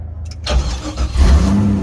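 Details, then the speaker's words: Drift Corvette V8, first start: brief crank, then it catches promptly into a steady rumbling idle with decent oil pressure, about 50 psi; starts cleanly and sounds healthy. "Oh my my God, the car runs. Oh man, we're making decent oil pressure, I guess. Decent oil pressure for idling."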